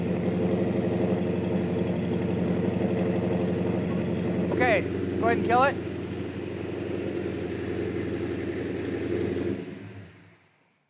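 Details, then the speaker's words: 1967 Plymouth GTX V8 with solid lifters, run at a steady 2000 rpm with a rev to 3500 before disassembly: steady fast ticking over an even run, the normal light clatter of solid lifters, nothing wrong. "I got solid lifters in do yeah solid LIF can hear them rattling yeah I like it sounds good"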